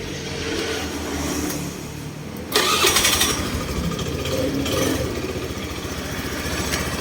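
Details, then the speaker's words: Honda Scoopy-i scooter after tightening a loose part in the drive/clutch assembly that knocked when throttling, fairly even idle, knock reduced about 90%: normal running, knock largely gone. "ครับก็เบาลงประมาณ90%ครับผมถือว่าโอเคนะครับ"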